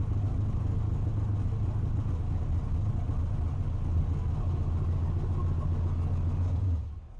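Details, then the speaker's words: Holley EFI HP Dominator car after re-tuning the IAC, cranking fuel, prime percentage and 13.5 idle air-fuel target: after a quick warm restart, a deep, even rumble holds a steady idle with no stumbling or hunting, then the sound cuts off. "good enough for me for now overall I am pretty stoked and much happier with uh the way this thing starts"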